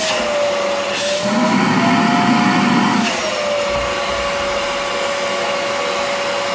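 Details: Rowenta Compact Power Cyclonic vacuum cleaner: steady motor whine with a smooth rush of air, pitch dipping briefly under suction then settling; healthy running with no whistle, after the motor was removed, checked and refitted.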